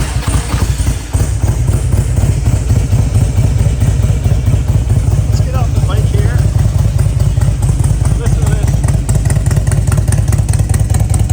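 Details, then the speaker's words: 2004 Harley-Davidson Electra Glide FLHTI, Stage 3 engine upgrade, Python pipes, 35,600 km: deep, loud, lopey V-twin idle with even firing beat holding steady; healthy motor, normal idle. "Again, this has some motor work done to it, so it's a pretty healthy motor. Let's start it up."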